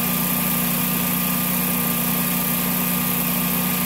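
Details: Generac generator in snowy cold weather, after an RPM sense loss failure repaired by spraying the terminals: smooth, even hum with a steady tone and no misses or knocks; normal running.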